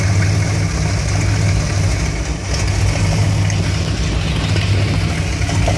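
Deep V8 idle with an unsteady, hunting rhythm and occasional misfire-like dips; engine runs rough once warm.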